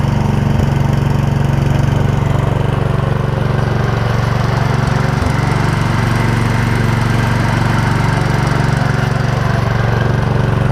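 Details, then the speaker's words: Old Gravely 16 Professional walk-behind mower with sulky attachment, original parts, sat a while, after a driveway ride: steady, even low thrum at constant pace, no knocks or misses; small engine idles smoothly and sounds healthy. "you know she's a good runner when it'll idle that blue swabs we have original parts and stuff on it"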